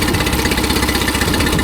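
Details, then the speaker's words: Mercury 9.9 four-stroke outboard after tightening the loose fuel pump screw: started with no choke after two primer bulb pumps, then a steady, even idle putter with no stumbling or hunting. It runs healthy with no more primer bulb problems. "There's the beast. She's awake again. And no more stupid primer bulb issues, though."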